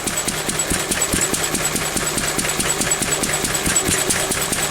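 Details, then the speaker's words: Pre-electronic engine after weakening an over-rich mixture to around 17:1; sharp, regular exhaust pops about two a second with a slightly hunting beat, still a little too weak, so it is being richened. "I've So that's still a little bit too weak, look. So we're ripping it a bit more."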